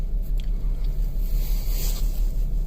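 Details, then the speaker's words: 2007 Kia Sedona at 4°F below zero in New Hampshire, check engine light on, running horribly: low, lumpy, stumbling idle. Code P0302, a cylinder 2 misfire (P0301 on earlier days). "Stored codes, which are the ones that are causing the light up there to be on. Cylinder 2 misfire detected. So that's not good."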